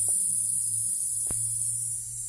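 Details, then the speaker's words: 2006 Freightliner semi with Detroit Series 60 14L: steady high thin hiss of escaping air from the park release valve; lines checked good, so the valve is faulty and being replaced. "that's coming out of that valve back there I did take this apart and check the lines and the lines were good so it is definitely the part"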